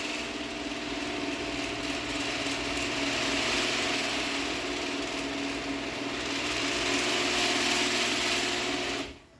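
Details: Genie H6000A garage door opener rebuilt with the chassis and motor from a parts unit, door travelling down: steady hum with fine gear whir, no knocks or grinding, quieter than the old motor; normal operation.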